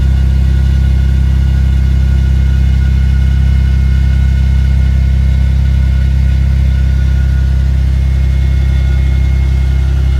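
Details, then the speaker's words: Vauxhall Vectra B GSi idling after refitting the fuel tank with new pipes and fresh fuel, with Magnex stainless catback and 200-cell sports cat: smooth, steady idle with deep even exhaust note, no knocks, ticks or hunting; normal idle. "And there she is, running like a dream. And running a lot better now that it's got fresh fuel in it."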